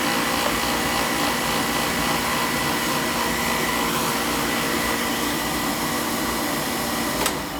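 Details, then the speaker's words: Old oil-fired boiler running with the FF limit jumped out: loud steady roar with fluttering rush, constant pitch; noisy burner attributed to its air shutter, to be removed. "I'm gonna take that air shuttle thing out of there I'll show you what it looks like when I get it out noisy it's always an issue with those things"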